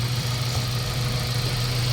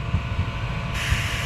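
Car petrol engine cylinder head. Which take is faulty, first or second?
second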